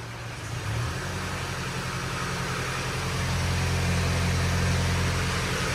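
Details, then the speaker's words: Range Rover Evoque Ingenium diesel, first start after failed-engine repair and re-timing, at idle: low steady clatter with faint rattle, timing chain rattle believed from a slightly stretched chain; prior sound unknown; chain replacement requires gearbox removal. "still got a timing chain rattled air in it always Slayer idle for a minute"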